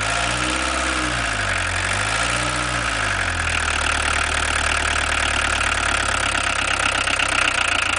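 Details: VW 1.6 TD diesel idling with a busy, sharp clatter over the steady beat that sounds heavier than usual. The owner asks whether it is clattering too much, and the cause is unconfirmed.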